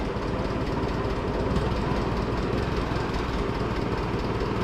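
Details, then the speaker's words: Oliver tractor (440 or Super 44) restarted after sitting almost a year, warming up: low, lumpy idle with uneven beat and stumbles; rough running, owner suspects he forgot to turn the gas back on. "if it's running sounds like it's running a little rough I think that's because I forgot to turn the gas back on"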